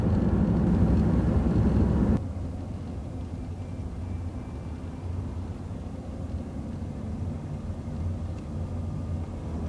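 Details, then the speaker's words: 2001 Jaguar X-Type 2.5 V6 petrol manual after a transfer box oil change, 30 mph in fifth on a main road: steady even drone, no whine; owner thinks it is quieter than before, healthy. "sounding good might be my imagination but I think it is quieter than it was before"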